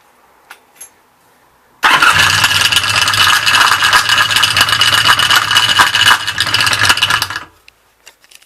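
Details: VFC 1100 motorcycle at cold start in the morning; engine catches and runs with a busy, fast metallic rattle of about four taps a second on top, cause not yet clear.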